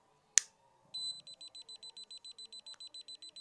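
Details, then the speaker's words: FeyXsas rechargeable gas leak detector tested with propane lighter gas: sharp click then rapid, even high-pitched beeps about eight per second, the gas-detected alarm; single beep when it resets. "When the unit detects a gas leak, it'll rapidly give beeps. And when resets, it'll give a single beep ready to go."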